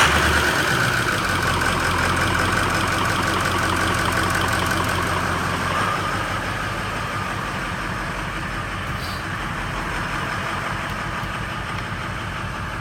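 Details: 2003 Ford F-250 6.0L Powerstroke diesel during startup testing: idling unevenly right after startup, lumpy beat near four per second with a wavering note; rough idle, possible misfire.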